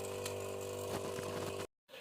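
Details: Whirlpool refrigerator whose compressor will not start, run directly: a loud, steady, buzzy droning hum from the failing compressor, then an abrupt cutoff. A clogged filter drier is the cause; a replacement compressor taking 105 g of refrigerant is to be fitted.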